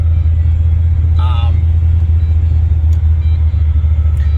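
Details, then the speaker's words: GM LS1 V8 with a recurring high-idle problem after over about 50% throttle, suspected throttle position sensor, restarted after a drive: steady deep idle, even low rumble, no hunting, settled around 1,000 rpm. "Yeah, there it goes. It's settled down to about normal, around that 1,000 mark."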